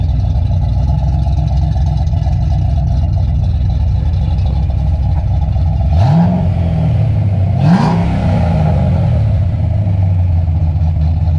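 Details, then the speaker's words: Freshly built, broken-in engine with Trick Flow cover, idle, TPS and timing adjusted, thermostat open, fans set at 185–190°F: steady idle with two clean throttle blips rising smoothly and settling; healthy. "Everything seems to be good. We set the cooling fans to come on at about 185, 190. And it sounds pretty freaking good, man."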